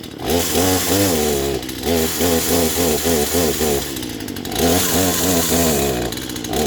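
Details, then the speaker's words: Poulan Pro chainsaw that wouldn't stay running, just started: two-stroke buzz rises and sags repeatedly, bogging instead of holding revs. Owner suspects the idle screw and carburetor adjusters need adjusting. "Sounds like she started right up pretty good. But so far I can hear that it was bogging a little bit, so it was probably the idle screw that needs to get adjusted, and maybe the adjusters as well."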